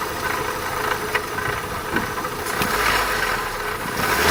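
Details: Opel Astra 1.6 16V (X16XEL) engine at idle with loose, uneven top-end rattling taps about every second; origin unclear.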